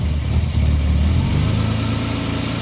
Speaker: Right back to normal. Let's try one more time.